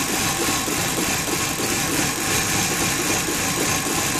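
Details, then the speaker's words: 1994 BMW E31 840Ci V8 that stalled on the road and had a crank-no-start, now finally starting but idling unevenly with a stumbling, lumpy beat; a bad misfire, cause not yet known. "So it actually started this time, that's a first, but it sounds like it's misfiring really bad."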